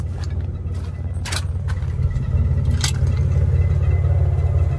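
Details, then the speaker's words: Custom 1990 Cadillac Brougham on 24-inch wheels, at an insurance auction: low driving rumble with irregular sharp scrapes and rattles from underneath plus a slight jerk; possibly something loose under the car, not confirmed. "that could just be something loose up under there and then it feels like it's a little jerk"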